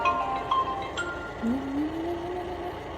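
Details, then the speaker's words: Yeedi M12 PRO+ robot vacuum, newly bought and just plugged in: horrendous nonstop droning noise that slides upward and never settles, with occasional short high beeps; abnormal, cause unknown. "Okay, so I just got this, plugged it in, and when I turn it on, it makes a horrendous noise, and it never stops. And sometimes it beeps while it's doing this, like beep."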